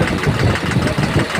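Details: Tata Cummins diesel truck at idle with a cover removed: dull heavy knocks about every half second over a rough idle; mechanic suspects a spun bearing or bush and an engine teardown.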